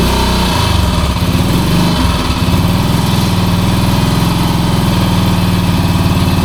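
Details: 1966 Honda C200 motorcycle engine, off the road since 1972, on full choke with blips of throttle: a loud, lumpy low thump with an uneven beat. It runs rough, and the owner suspects petrol is not getting through.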